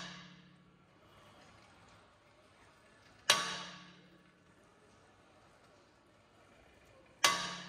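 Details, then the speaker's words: Tesla Model 3, two sharp dry cracks about four seconds apart while steering at standstill; suspected loose upper stabilizer link mount on the strut repeatedly breaking loose, not confirmed. "dieses losreißen diese einer schraubverbindung die nicht ganz fest ist das führt dann immer zu einem knacksen oder beratern zum beispiel"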